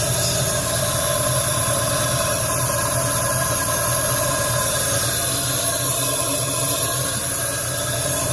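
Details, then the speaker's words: Nissan Maxima during teardown and repair: steady, loud idle with a coarse low rumble and even firing, no knocks or ticks; engine runs fine, just a very loud exhaust. "The satisfaction is so real right now. That's such it's so loud."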